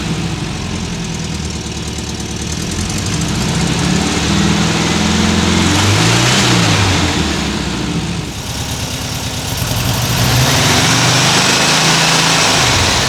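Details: 1979 US-spec fuel-injected VW Super Beetle air-cooled flat-four with a new Vintage Speed stainless exhaust replacing the rusted, leaking original; mic clipped to the rear bumper by the muffler. Even idle burble, revs rise and fall cleanly, no leaks or rattles; normal exhaust idle and revs.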